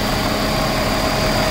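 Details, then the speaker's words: Jeep Cherokee XJ after more driving on upgraded 4-port Ford fuel injectors, low on fuel; starts without hesitation and holds a steady even idle with a faint constant whine and no misses or knocks; healthy. "starts up pretty good usually doesn't hesitate or anything as you can see we are low on fuel running pretty good let's go open the hood for you as you can see it's running pretty good"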